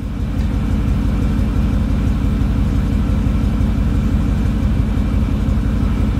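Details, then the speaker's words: Mercedes CLK55 AMG V8 test start, not fully cold, after fuel system work for an intermittent hard-start issue and a full fluid service; catches quickly and settles into a steady, even low rumble with no misses or knocks. "H definitely seem pretty happy starting"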